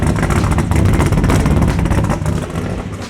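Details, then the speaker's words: LS V8-swapped BMW E46 with unequal-length headers and big cam: loud lumpy idle with irregular pulses; judged not okay even allowing for the headers, timing light check planned, cause not confirmed. "I'm telling you right now just remember it has unequal length headers listen to me right now that's not okay"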